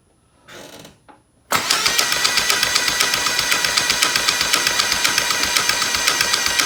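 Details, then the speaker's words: 2003 Nissan Sentra Spec V QR25DE, first dry cold start after timing chain tensioner modification, priming oil to tensioner, cam solenoid and phaser: catches and runs with a steady sharp ticking, expected to fade once oil fills the chambers. "this is in the effort to try to eliminate any kind of rattle or noise during a cold start permanently started with the timing chain tensioner because it does sound like the assignment chain is"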